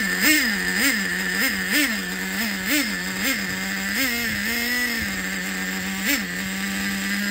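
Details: Used Traxxas 4-Tec nitro RC engine after fixing the wrongly installed one-way bearing in the EZ-Start and resetting the carburetor to factory four turns out: buzzes high and steady, throttle blips with clean pickup and return, running healthy.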